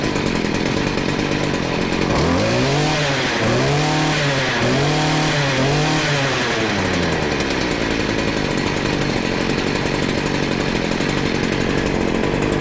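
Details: Stihl FS40C string trimmer that did not run, after carburetor adjustment with the screw at one turn out: a small two-stroke buzz blips up and down three times, then settles to a steady idle. It runs and responds to throttle.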